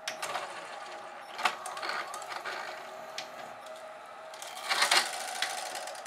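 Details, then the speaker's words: GoVideo DVR4000 DVD-VCR: small motor whirs and strains with clicking and gear chatter before finally ejecting the tape; weak take-up from a cracked drive gear detached from the clutch; video lights suspected of upsetting the infrared tape-end sensors. "there's definitely something going on with that mechanism it doesn't want to give me my tape back"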